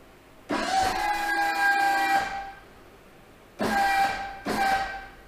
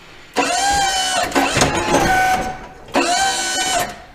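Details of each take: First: Boss V-plow, 8'2" with wings, hydraulic pump motor during a lift relief-pressure test with a gauge: three bursts of a steady mid-pitched whine that hold flat at relief, then drop off. Only 2000–2300 psi against the manual's 2500 minimum, suggesting worn motor brushes. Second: Boss V-plow, 8'2" with wings, in a warm shop after the hydraulic pump motor was taken apart to chase a howl/chatter: two short pump motor runs, each a steady mid-pitched whir that starts and stops cleanly. Normal pump motor run.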